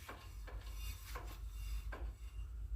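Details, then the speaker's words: 2011 Kia Ceed 1.4, squeal while driving that grows with speed and when hot: dry, rhythmic scraping each wheel turn. The dust shield near the ball joint was rubbing the brake disc; bent away, now silent. "смотрим на просвет и внизу видим что-то нам упирается и вот она причина защитный кожух шаровой упирается тормозной диск"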